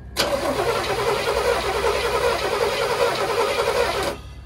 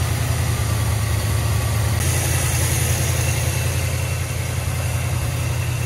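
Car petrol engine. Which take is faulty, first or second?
first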